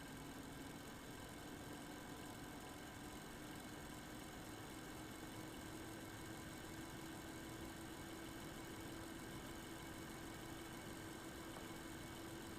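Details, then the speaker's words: Eight-year-old MSI Radeon HD 7970 Twin Frozr III graphics card under benchmark load, one 75mm fan dead and the other failing: uneven whooshing fan with irregular speed plus a thin, slowly rising coil whine. "you should be able to hear the irregular fan spinning separate from the coil wine"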